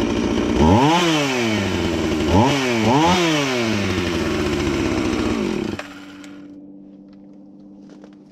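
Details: Husqvarna 450 X-Torq chainsaw that wouldn't run, new chain and bar fitted, started to check and adjust the carb (special adjusting tool bought): crisp revs dropping back cleanly several times, then steady idle without stalling; normal running.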